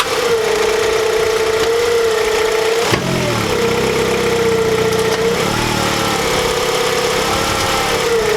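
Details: 2008 Honda CR-V engine, recorded in a before/after check around replacing the lower rear torque mount (a worn one caused violent vibration): steady, even idle with a smooth constant hum and no knocks or clunks when revved; sounds healthy.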